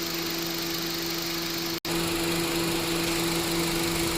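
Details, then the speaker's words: Honda City after A/C repair (compressor had stopped working; new clutch plate, compressor oil changed, new drier and belt), both fans normal: steady, even compressor drone, clean mid-pitched tone, no knocks or rattles; compressor and clutch running normally. "ปรับพัดลมหยุดนะครับพร้อมทำงานเสียงการทำงานปกตินะครับ"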